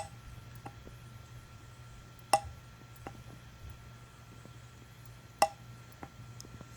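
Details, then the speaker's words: BMW E34 heater control valve bench-tested on a power-supply tester via Molex connector, left solenoid: two crisp, sharp clicks about three seconds apart as power is connected; solenoid switching normally. "So now I shall demonstrate what it should sound like whenever you do connect it to the power supply."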